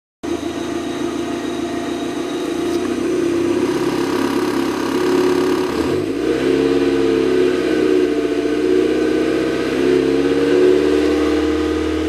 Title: mx5 misfire